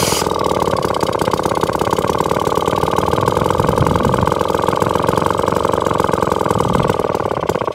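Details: Atco lawnmower with Villiers Mach 3 two-stroke engine, warm, kickstarted without choke: steady, even idle with a crisp regular firing beat, no misfires; running normally.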